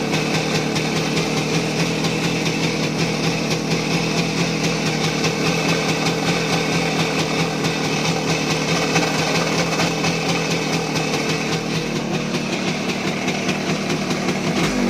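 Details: Voskhod 3M two-stroke motorcycle engine, rebuilt with new piston kit and run in: sharp metallic tap every turn at idle, also knocks at revs in 3rd–4th gear, began after accelerating in 4th and closing throttle; piston checked fine, crankshaft suspected, unconfirmed.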